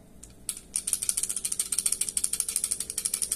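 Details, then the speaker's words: New Taurus G3 pistol's loaded 15-round magazine, moved around, gives a quick bright metallic shaker-toy rattle, heard from day one after loading; spring installed upside down. Magazine rattle from an inverted follower spring. "parece um chocalho né não é por causa dessa peça gente"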